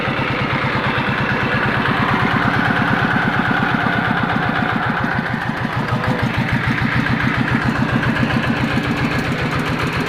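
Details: Yanmar TF115 LM single-cylinder diesel, brought in for hard cold starting, after replacing the injection pump plunger and a side kit, inner bearing not yet done: even idle thumping, no misses or knocks, good pressure, normal idle.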